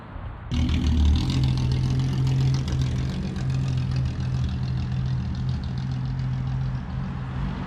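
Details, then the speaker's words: 1962 Ford Falcon, Ford 200 inline six, carburetor acting up: a steady low drone with a slightly uneven beat under light revving; owner suspects it needs a tune-up, carburetor cleaning or a fuel pump check; rough running. "all right y'all in that case sounds like it needs a maybe needs a tune-up or something i don't know i think the carburetor needs to be cleaned out i think i need to check the fuel pump"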